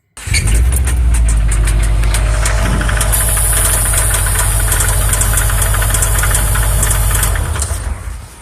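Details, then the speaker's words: Subaru about an hour after a dealership oil change, driver first heard a weird ticking: heavy, deep knocking pounding through the engine note, harsh and loose; rod knock from a spun rod bearing. "And that's when we got to experience um our first spun rod bearing. And I'll play this video now so y'all can hear how absolutely god awful the sound was."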